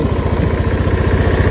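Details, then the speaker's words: Honda Beat scooter after carbon cleaner: steady, even low putter at idle, no knocks or rattles; running, slight smoke; piston replacement may still be needed. "Ini hidup nih sudah. Tapi kita lihat ya untuk"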